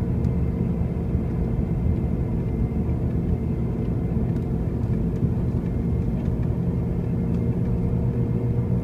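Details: 2005 Pontiac Grand Prix with brand-new wheel bearings and new tires makes a steady, deep droning rumble that fills the cabin at cruising speed, with no knock or rhythm; the source of this road-speed noise is undetermined.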